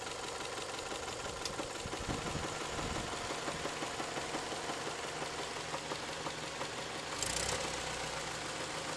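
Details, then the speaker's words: Toyota 3S-FE engine, warm idle: heavy, uneven knocking about three per second that comes and goes, sometimes just rattling, sometimes strong blows; it appears after warm-up and the cause is unknown. "Стучит. Бывает не стучит, бывает просто тарахтит, прям аж долбит как хрен знает что. Просто удары такие характерные. Сильные удары."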